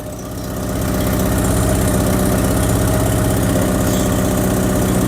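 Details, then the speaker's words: Stolen Porsche 944 that sat a year in the woods, first run: steady idle with a quick, even puffing tick about four per second from a leaking exhaust, with joints seemingly assembled with putty. It otherwise runs pretty well and needs a complete exhaust. "yeah the exhaust is leaks upon leaks upon leaks you can see down here it looks like someone put the exhaust together with putty"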